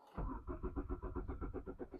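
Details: Mk3 VW Golf GTI 8-valve petrol, 115,000 miles, left sitting since 2016: steady rhythmic cranking at about seven pulses a second, engine never catches or fires; crank no-start, fuel delivery problem suspected.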